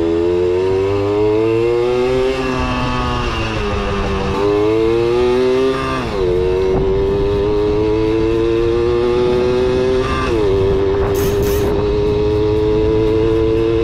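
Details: Kawasaki KS II-50 two-stroke, after tank cleaning, with oil mixed into the fuel because the automatic oil pump is in doubt; crisp buzz sweeps up and down cleanly with no bogging or stumble.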